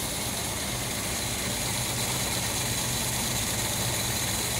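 Steady, even idle with a low, constant hum and no knocks or misses; the carbureted engine is running smoothly.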